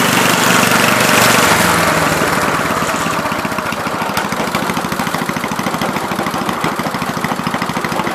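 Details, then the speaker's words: 1970 Gravely Commercial 8 garden tractor, 8 hp single-cylinder, revived after sitting a few years, still cold before warm-up: steady even beat at fast idle, about 200 firings a minute, no misses; running pretty decent, normal running. "still running pretty decent i had to just carve just a spin there but uh looks like it's working"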